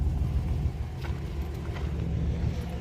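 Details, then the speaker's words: Engine with 265,000 miles, just started; brake and anti-lock lights are on (possibly front hubs), and the transmission is a concern. Quiet, low, even rumble with no knocks or misses: a smooth, steady idle that doesn't sound bad. "Let's see if she got any juice. She runs. Idle's good. Wow."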